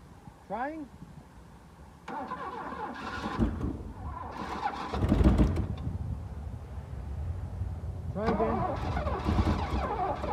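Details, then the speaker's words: Mercedes W126 380SEL sitting about 15 years, no fuel tank fitted, battery weak: bursts of uneven starter cranking for a few seconds with no firing; cranks but no start, no fuel supply. "Но видите ли, он не заводится."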